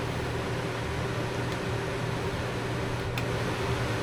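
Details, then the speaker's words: Puma camper's 13,500 BTU Coleman Mach rooftop AC, fan only on high, heard from inside near the bed: loud, steady whooshing roar with a low constant hum, no rattles or knocks; works fine, just noisy. "That's the fan only on high. AC on low. AC on high, I believe. Yes. So it's a little bit noisy in here."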